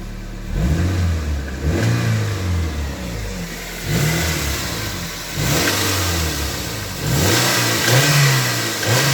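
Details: Toyota MR2 Mk3 Roadster revived after long lay-up (stale fuel drained, new battery), engine blipped from idle: light metallic rattle between 2200 and 2500 rpm; source not yet found.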